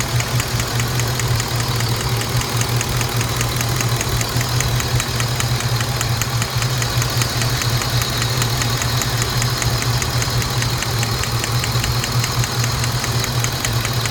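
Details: Saab 9-7X petrol engine idling after spark plug install: fast, sharp ticking over a steady low rumble; clicking cause suspected, not confirmed.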